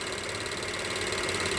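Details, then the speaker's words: Direct-injection engine at idle: even, fast, unchanging ticking over a smooth idle. This is the covered high-pressure fuel pump, loud but normal. "A lot of people were complaining that it was making a lot of noise when they don't understand how these new engines work. This is a high pressure fuel pump. They're very loud."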